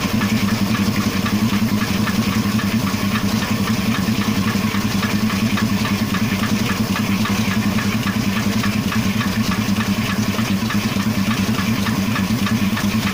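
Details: Engine at steady idle with a faint, loosely regular tapping of about two hundred a minute over the hum; a knock of unknown origin.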